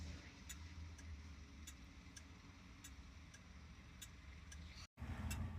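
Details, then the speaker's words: 38-year-old project car, newly wired hazard circuit: crisp, evenly spaced flasher relay clicks, about two a second, over a low steady hum; the relay is cycling properly and the hazard flashers work. "Click that on. This relay starts clicking, and check this out. So that's making our hazard flashers work."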